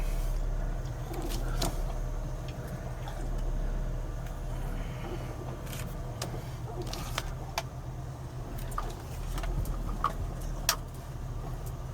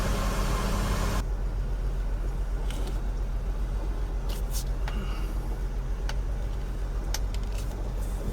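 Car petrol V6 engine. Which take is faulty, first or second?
second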